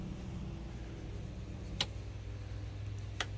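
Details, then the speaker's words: Boat livewell pumps after a SeaFlo 55 Series washdown pump install: a low, steady hum with a couple of stray clicks; the right and left livewell pumps are running normally. "Right live well, it's humming. Left right live well is humming. Good to go."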